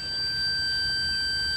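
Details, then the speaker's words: 1970 Sony Trinitron KV1210 rectifier diode packs probed on a meter: a steady high-pitched beep with no break. The probed diode reads shorted while another measures a normal half volt. "that one is shorted and this one is shorted but this one measures okay"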